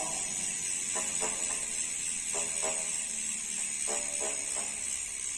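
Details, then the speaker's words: Novatec D042SB bicycle rear hub, new, which initially dragged: short scraping rasps in clusters of about three while the wheel turns, stopping at some positions; internal noise inside the freehub from a manufacturing defect. "Ó, pessoal, repara aí no barulho, ó. Barulho interno dentro do free hub."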